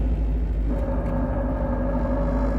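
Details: Triumph TR7 5-speed idling in neutral, warmed up: steady low rumble with faint drone appears only when the clutch pedal is released and stops when pressed; gearbox otherwise shifts fine, cause unknown, possibly input shaft bearing.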